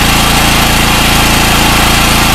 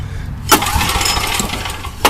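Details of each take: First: Gasoline generator after PRI-G fuel treatment and refitting a halfway-fouled original spark plug with anti-seize: steady, even buzz at constant pitch with no surging; normal running. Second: Old Coleman generator with a Vanguard engine running ethanol gas, restarted after tapping the carburetor: runs unevenly with sharp speed rises about every second and a half, surging because the carburetor float sticks and floods.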